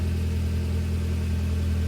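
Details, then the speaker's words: Nissan 240SX idling after header gasket replacement, before valve cover gasket job; smooth, even low rumble with steady idle, no ticking or exhaust puffing, much quieter than before. Normal idle. "so much quieter up there. It doesn't sound as like Reverby in here. yeah. Sounds better."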